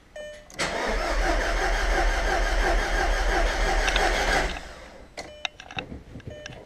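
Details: Audi TT with owner-rebuilt engine, first start attempts after reassembly: about four seconds of even, rhythmic starter cranking, then it stops without catching; the engine turns over but won't fire.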